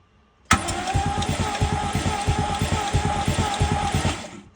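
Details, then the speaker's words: 1966 Mercedes-Benz 230S that sat 20–30 years: starter turns the engine over about three beats per second, funny-sounding starter, but no firing; crank, no start, no spark, damaged distributor cap and rotor suspected. "and it does not have spark. And it's obvious as to why. It's a little bit damaged and there's not really anything in there"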